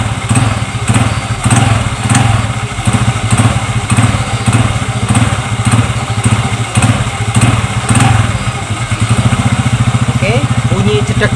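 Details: Zeon GT125 scooter with a jerky knock (jedak) on initial throttle, after replacing the small clutch-shoe seat cushions: blipped repeatedly and pulls away smoothly each time, no clunk from the CVT. Normal engagement.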